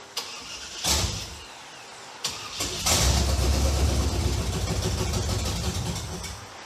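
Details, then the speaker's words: 1963 Chevy Impala rat rod, big-block Chevy V8: cranking bursts catch and it runs a few seconds on primed fuel, then fades and dies; the mechanical fuel pump is not picking up fuel, sucking air through a subtle leak at the fuel filter. "What we think just happened is that the mechanical fuel pump is not picking up gasoline from the tank because there's a leak right here at the fuel filter, which is really subtle"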